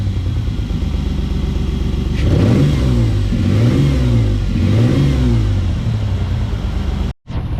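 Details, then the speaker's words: 1995 two-door Explorer missing on one or maybe two cylinders after a cleaned used spark plug was refitted: an uneven, lumpy exhaust beat through repeated revs. Slightly better at higher RPM but still stumbling; the misfire is not fixed. "Still missing. Sounds a little bit better at higher RPMs, but we still probably got a problem over here."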